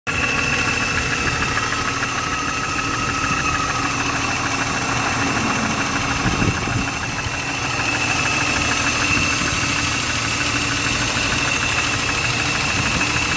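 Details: BMW E36 M3 S52 inline-six at steady idle with light, fast ticking over the top end, despite a top-end rebuild with all new lifters; suspected lifter tick, cause not pinned down.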